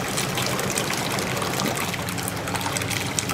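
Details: Jacuzzi hot tub pump on low speed, tub filled with water, after fixing the air push-button: steady rushing and trickling water with an even hum, no grinding or surging; normal circulation.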